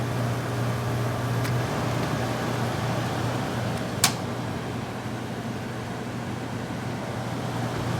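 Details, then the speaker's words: 1981 Emerson 18,000 BTU window air conditioner, first start of the cooling season; steady low motor hum under airflow on low, less on medium; owner suspects worn felt motor bushings; fan motor hum. "think they might need new felt bushings on the motor you can hear it does hum a little bit on low a little bit less on medium"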